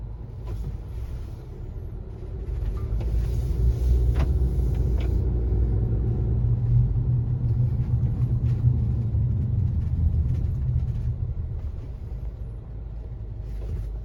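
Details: 2018 Honda CR-V driving, in cabin: deep steady hum swelling with speed, loudest 25–50 mph, present since new, absent with front wheels lifted; owner suspects hub assembly or tires, unconfirmed.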